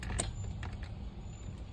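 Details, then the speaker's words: 2006 Cadillac STS with no crank, no start and the cluster going blank on push start: a single sharp click, then silence and no cranking; the starter is bad. "check light stays on but I could hear a starter click car's got a bad starter simple as that the starter is bad"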